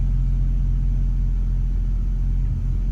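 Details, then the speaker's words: 2005 Chevy Trailblazer still misfiring at idle after the owner's new spark plugs: a deep, uneven rumble with irregular stumbles, felt and heard. "well that did not take care of the problem I guess I need to ask him did he switch the spark plugs as well cuz yeah it's still misfiring and I can feel it"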